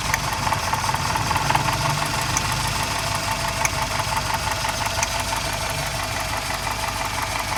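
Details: Toyota XLi at idle: light, uneven ticking over a steady idle, clearest in the upper engine; tappet noise needing valve lash adjustment.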